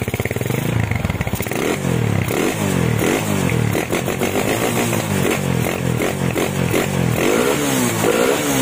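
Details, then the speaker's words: Honda Tiger stock engine with PWK 28 NGO carburettor, GL Pro needle top clip, pilot jet 30, main jet 115: repeated throttle blips rise and fall cleanly with no hiss or stumble, only faint carb slide rattle; normal throttle response. "Ini dibuka gasnya juga normal tanpa ngeses sedikit pun."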